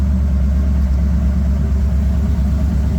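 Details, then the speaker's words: Bombardier machine with a long-unrun gas engine in good condition, restarted after tweaking while oil circulates: low, even idle with a steady rumble, no knocks or misses. Sounds better each start and is getting closer to normal. "Gonna start it up again. Again, sounds better each time they start it up."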